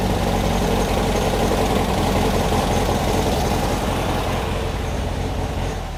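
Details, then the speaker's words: Beck 550 Spyder replica with VW-based engine and Dellorto carbs, jets just cleaned, high-lift cam: technically running and idling but sounds rough, uneven lumpy chuff about 160/min that keeps stumbling; one cylinder suspected of misfiring, guess is number two. "it is technically running I suppose and it is technically idling but boy does it sound rough"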